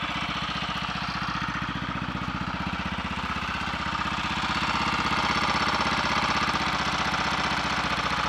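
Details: Royal Enfield 350 Redditch Bullet first start after full rebuild, wet-sumped, warming: steady single thump with faint tap; timing later found slightly over-advanced, resetting quietened tapping.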